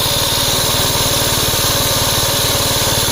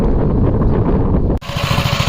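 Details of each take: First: 1961 Gravely L tractor engine at its set throttle speed before governor replacement: fast, even single-cylinder beat with a rough mechanical rattle on top; the governor was not working. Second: 1961 Gravely L tractor after the replacement governor was fitted (one rod slightly bent, may need adjustment): engine thumps evenly, dips briefly as load hits, then settles back to a steady beat; the governor is now holding speed properly.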